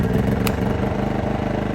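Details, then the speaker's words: New Champion 2000W inverter generator, first start-up, choke used, nothing plugged in: sharp pull-start, the small engine catches on the first pull and settles into a steady, even patter with no misses; healthy normal start and run. "Since the machine is new, it might take a couple extra pulls just to get it going, but these things are known to start pretty quickly."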